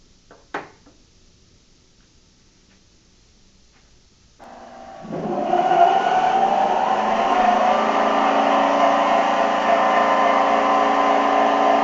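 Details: NordicTrack C2300 treadmill after replacing the rattling front roller and adjusting the belt: motor spins up at about four seconds and settles into a smooth, even whine, no rattle or knock; running normally after repair.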